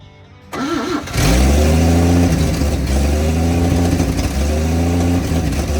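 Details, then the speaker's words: 1954 Chevrolet after sitting two decades, restarted after new part fitted, fuel leaks present; cranks briefly and settles straight into smooth even idle, no stumble, tick or knock, likened to a Swiss watch; normal idle. "you hear that that's a Swiss watch you don't hear those very often on this channel but that's what it sounds like"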